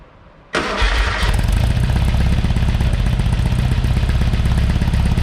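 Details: Porsche 912 flat-four just rebuilt (mild cam, head work, NOS Solex carbs): catches after a short crank and settles to a steady, even idle; runs well. Oil pressure is 60 psi cold and 38 psi hot at idle; distributor advance is sticking.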